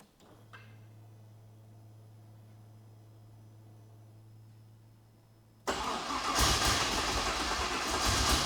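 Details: Ute project car, not yet finished, first start attempt after fuel pump priming to expected pressure: quiet pump hum, then the engine cranks and fires raggedly, catching unevenly and struggling to settle; hard starting, cause not confirmed.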